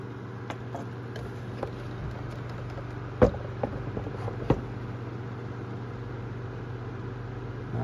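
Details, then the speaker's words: Amazon Basics F26-16A air circulator floor fan, secondhand, started on low speed in about 40-degree cold; a little rattle and light taps at the start, then a steady low hum, running okay and moving good air, 630 feet per minute. "a little bit of a rattle there at the start but seems like it's running okay it's moving pretty good air"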